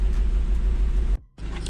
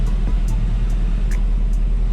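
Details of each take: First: Seat Leon FR 2.0 TFSI petrol idling steadily and evenly with no misses after test drive, once the cylinder 3 misfire was fixed with a new original injector, following earlier coil and spark plug replacement. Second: Seat Leon FR 2.0 TFSI at idle with deep, uneven running and a recurring stumble: misfire that moved from cylinder 2 to cylinder 3 when injectors were swapped, confirming a faulty injector; coil and all plugs already replaced.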